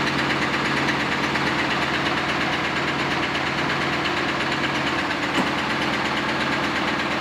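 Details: Camaro first start after exhaust repair welding, fuel added: rough idle with loud, uneven knocking about two beats a second; sounds loose, cause unknown; dead animal debris blown from exhaust. Engine knock at idle.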